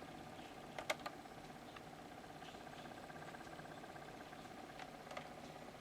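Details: Laptop cooler pad fan after one drop of machine oil in the bearing hole: soft, even whir with only a stray tick, no rattle, buzzing or grinding; bearing now spins quietly.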